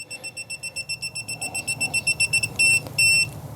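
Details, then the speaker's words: TopTES PT199 combustible gas detector, calibrated and set next to a griddle's natural gas quick-disconnect as the line is removed: rapid high-pitched beeping, about two and a half per second, as it senses escaping gas. "So what all I'm going to do is I just set it up here next to it, and I'm just going to take off my gas line, and you can hear it beeping."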